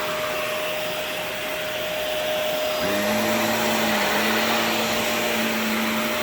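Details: Shark NV355 vacuum after motor pod replacement: a steady, even motor roar with a smooth tone that settles after a few seconds, with no rattle or scrape. Normal running.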